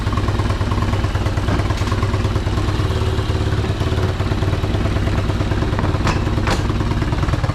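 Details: Unidentified, probably Chinese, four-wheeler: a small single running steady with an even low thump, about three beats a second, no misses or knocks. Sounds healthy.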